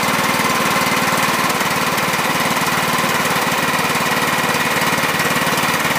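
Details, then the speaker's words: 2006 John Deere L110 with Kohler Command 17.5 hp, sat two years, new battery, stale gas drained, overfilled oil reduced; even quick pulsing chug at constant speed, no skips or rattles, slight oil burning off muffler. Normal running. "so so that turned out pretty well i'm happy with that a little bit of oil burning off of the muffler"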